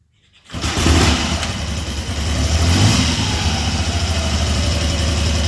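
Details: 1974 Triumph Trident after fixing a misfire caused by a failed ignition coil, started indoors in cold weather. It catches after a brief crank and settles into a smooth, even idle with no cutting out: normal idle.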